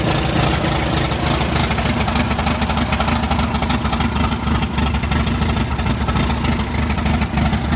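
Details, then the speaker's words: MGB, warm after a highway cruise during which it lost power above 3000 rpm. It gives a loud, uneven, lumpy idle stumbling about three times per second and needs choke to keep running. Rough idle, cause unknown. "all right i'm not happy i don't know why i need choke to keep this running listen to it it sounds like it sounds horrible so"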